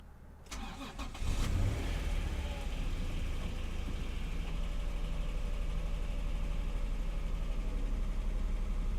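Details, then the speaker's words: 1992 Acura NSX, odometer about 9,940 miles, cold start: starter engages right away and the engine fires straight up, settling into a steady, slightly fast cold idle around 1,400 rpm with no odd noises; normal. "so all the lights have cleared off the RPM is high right now it's this around 1,400 the engine is cold so typically the idle does seem to be a little higher when it runs cold"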